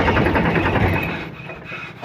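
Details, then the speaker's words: Diesel note sags and drops within seconds as a Powertrac 42 Plus (44 hp range) tractor engine labours on start; hydraulic lift rises by itself and stays stuck, loading the engine as if under hard work. "कितना जाम इसका engine चल रहा है यानी कि जैसे load ले रहा है जैसे किसी तरह से इंजन किसी हार्ड वर्क में चलता है हार्ड काम में चलता है उस तरह से एकदम से लोड ले रहा है"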